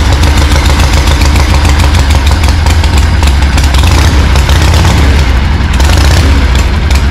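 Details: 1974 Harley-Davidson Ironhead chopper, unrun 15+ years, fresh oil, no exhaust pipe fitted: loud, deep, uneven V-twin thumping with exhaust popping; rough first start after long storage.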